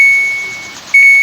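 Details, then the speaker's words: Samsung automatic washing machine that won't start, on test before control board repair; powered on, spin selected, start pressed: single steady high beep, then no motor or water. Washer will not start, control board fault suspected. "So, i-on natin. So yan, nag-on na siya. So, spin lang natin. Tapos i-start. So, yun ayaw."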